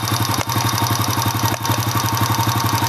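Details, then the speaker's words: Honda Astrea Impressa single-cylinder motorcycle engine, smooth when cold, idling warm at about 60 degrees with a light metallic "itik itik" tick about four times a second, louder with throttle and heat: cam chain tensioner noise. "Kalau kita ngecek ini sudah mulai muncul suaranya ada kan itik itik itik noh"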